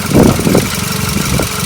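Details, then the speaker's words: 2005 VW Mk5 Golf, 1.6 litre FSI petrol, almost 18 years old: busy, slightly clattery idle with steady beat, no misfire or stumble; normal idle, owner says the FSI engine is always this noisy. "so you've got the FSI engine here it is quite a noisy engine I definitely know if someone's driving SSI Engine outside because they always sounds like this"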